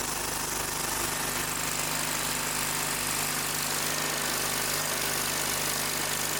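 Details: Old Simplicity tractor engine after the no-start repair, hose clamps and screws tightened: fires and holds a steady, even beat with constant pitch and no stumbling, running on its own; a leaky fitting with Teflon tape remains suspected.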